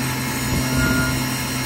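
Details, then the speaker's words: PM25 CNC mill spindle with new oil-mist-lubricated bearings, run at 4000 rpm, about 4.1 A, bearing around 90 degrees: steady even hum with a clean high whine, no rumble or roughness; maybe quieter than before, running smoothly. "still pretty quiet right now maybe quieter than before i'm not sure but we're gonna let it run and see what happens"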